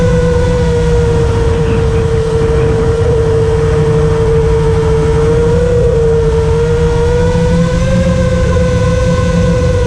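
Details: FR7 quad in flight after tuning with D-min off (D-min had caused raspy, carbon-like resonating motor noise), RPM filter on at 1.5, master slider 1.4, dynamic idle 15: smooth, steady motor tone rising and falling gently with throttle, no raspy edge; motors healthy.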